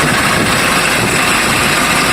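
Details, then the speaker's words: Kia Bongo 3 diesel at idle, engine misfiring and very noisy before stethoscope diagnosis: loud steady idle with constant hissing, grinding rush and thin high whine on top, from a worn idler pulley bearing. "So yung mga kaidol, napakaingay yung gagawin natin mga kaidol. Maingay siya makakapalang yung magkinay"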